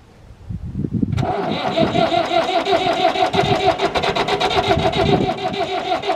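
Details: David Brown 996 diesel tractor, sitting about 10 years, just after its first start and before the coolant top-up: it catches after a second and settles into a steady, slightly lumpy chug; normal diesel idle, it's a runner.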